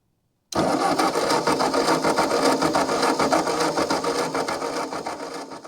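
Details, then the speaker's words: Ford 9N tractor, long unused, running 12 volts through original coil: starter churns about 3.5 beats/sec, slowing toward the end, cranks but won't start; owner suspects distributor is cooked, plans new distributor and 12V coil. "problem is here that distributor is just cooked I think we're going to have to just get a new distributor and coil and do it right put 12vt to it"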